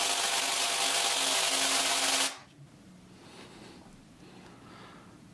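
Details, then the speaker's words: APS V2 airsoft gearbox with M120 spring, busted bevel replaced with an equivalent: a fast rattling fire cycle for about two seconds, then it cuts off dead. Another gear failure; the gearbox shell has big cracks and is leaking oil. "well that looks like another gear failure another gear failure"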